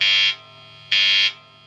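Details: Strat with a Lace Sensor humbucking modification: two loud harsh buzz bursts, each about a third of a second, over quiet amp hum when the pickup mounting screws are touched. Points to a ground fault at the pickup base plate wiring.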